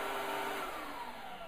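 Steady, even vacuum motor whir with a smooth airflow rush; the cleaner runs normally.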